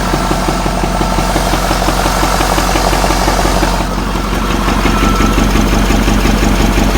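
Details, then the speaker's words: Ford F450 6.7 Powerstroke diesel, batteries trickle-charged, reported knock and heavy front oil leak: steady clatter at idle but rhythm lopes unevenly about three beats a second; sounds like a miss, no knock heard; number five injector suspected, not confirmed. "i don't hear any knocking it's just about a miss more than anything but it does have a pretty extreme engine oil leak out the front"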